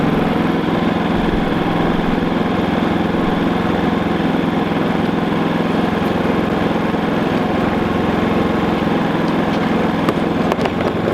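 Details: New Predator 3500 inverter generator after break-in oil change, powering an RV plus space heater toward 5,000 W: even, steady drone with no surging, misses or knocks. Normal running under load.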